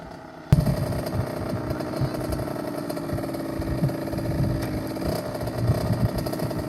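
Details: 2007 KTM 65SX two-stroke after top-end rebuild with a Vertex piston kit, heat cycled, ridden with gear shifts: crisp, buzzy note holding steady then changing pitch cleanly with shifts, pulling evenly; normal running.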